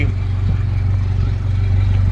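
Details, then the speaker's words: Bayliner Element 16 outboard, first start of the season on land after Cabela's winterization: steady even low burble at idle with no misses, knocks or rattles. Normal, quiet idle. "but that is the first start of the season that's how quiet this is and it sounds loud but once that's underwater you don't hear it"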